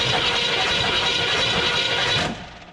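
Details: 1974 Chevrolet K10 farm truck V8 parked 15 years, choke rusted solid: the starter cranks steadily for about two seconds with no firing. Cranks but won't start; a flat exhaust cam lobe is suspected, not confirmed.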